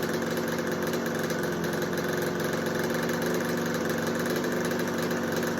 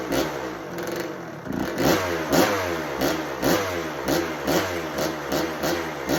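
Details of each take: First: 1986 Kawasaki KX125 two-stroke, being sprayed around both sides of the carb to check for air leaks: steady, even idle that holds speed with no rise, so no intake leak found; normal idle. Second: 1986 Kawasaki KX125 two-stroke, first start of a no-spark project bike, on choke: crackles and surges about twice a second, never settles, won't idle.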